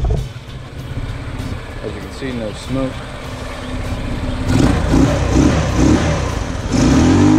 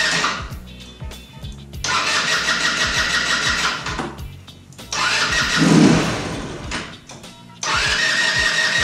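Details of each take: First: 150cc GY6 scooter after troubleshooting a no-idle problem: steady, even putter at idle and an easy start, then smooth, clean rises in pitch on each throttle blip; healthy. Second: 150cc GY6 scooter, before troubleshooting: fires on repeated tries, revs unevenly then sags and dies instead of idling despite idle screw adjustment; hard start and poor idle, carburetor running rich and flooding.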